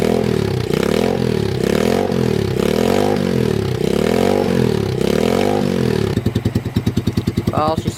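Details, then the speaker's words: Motorbike-engined off-road buggy, SYM engine of unknown size (owner assumes 125 or 250cc), cold, on choke, after oil change: revs up and drops back cleanly several times, then settles into a choppy, loping idle; carb well set. "over nicely rev nicely so the carobs actually pretty tuned well so that's good you just had to hav't choke for a while so it's perfect"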